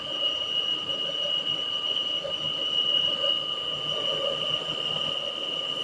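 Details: Peugeot 408 engine running: constant high thin squeal over the engine hum, resembling a pulley bearing but coming from the valve cover; cause not confirmed.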